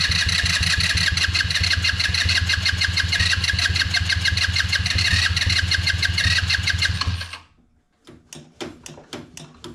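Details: HammerHead 150 off-road go-kart, after emptying the fuel tank and installing new parts: steady fast cranking about three beats per second for seven seconds, then scattered clicks; won't keep running, hard starting.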